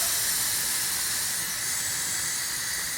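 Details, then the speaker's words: Flat backhoe tire being aired up after sealant was injected through the valve stem: a steady, sharp, rhythmless hiss of air escaping from a badly leaking tire. "so it should find that leak hopefully I mean that's a pretty badly you can hear it now"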